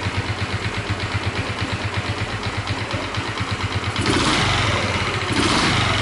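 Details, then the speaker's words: Honda Chaly engine, previously rebuilt with few parts replaced: quick idle ticks with light metallic rattle on each beat and a brief rev; owner suspects cylinder head and possibly crankcase, cam chain tensioner being checked. "I wonder if there's a rattling sound and the sound is coming from two places? I think it's the cylinder head! I wonder if it's also noise inside the crankcase?"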